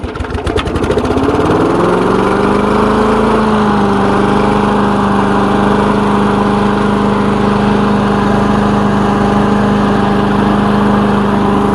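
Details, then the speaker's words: Lawn mower engine's final run after repair with new air filter fitted, before return to owner; catches and holds a steady even drone without surging or stumbling; running great, normal idle. "so that's running great here you shouldn't have any more problems with this airplane"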